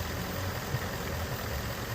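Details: 2017 Ford Mustang GT 5.0 Coyote V8 idling, codes P0302/P0316, cylinder 2 misfire, cause unfound; low, burbling idle with an uneven lope and occasional stumble in the beat.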